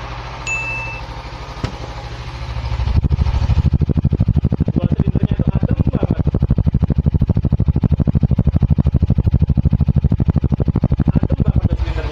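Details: Suzuki Inazuma 250, owned since 2016, stock except for the mirrors, started with the brake or clutch held in. The starter whirs, then the twin catches and settles into an even idle thump with no knocks or rattles: a healthy engine.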